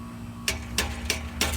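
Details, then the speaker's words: 1998 Chevy Silverado 1500 with a P0420 catalyst efficiency code: the exhaust pipe is struck, giving four sharp metallic clanks and a brief rattle over a low engine hum. Rattle from a loose joint at an exhaust leak. "now what that does is that impacts the pipe and if there's any looseness in there or slop as you want to call it it will uh it will make a noise it'll rattle so"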